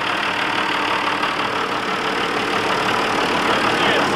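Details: John Deere 7200 tractor with an intermittent no-crank fault (key turned 20–30 times) traced to the starter circuit; steady diesel clatter at idle, even beat around three per second, no misses or knocks; it starts and runs fine.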